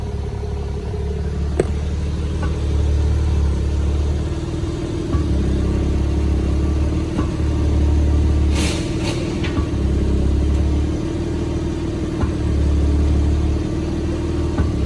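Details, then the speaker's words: BMW M3 Competition G80 on a lift with the wheels hanging: steady idle drone with sharp knocks under the car's center as D or R engages under load. Suspected rear axle/driveline backlash, not confirmed. "Test Masa dia dalam keadaan tak ada load up when ada load masuk gear dia akan bunyi koocking noise"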